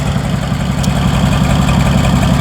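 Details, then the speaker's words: Massey Harris 102 Senior (Twin Power) tractor, bought at auction, first run in 10 years, started on choke after checking oil and fuel flow: low steady chugging idle, even beat, no misfires or knocking; 25 lb oil pressure, no charging shown. "um I've had it running before so I'm not like super surprised it starts really good"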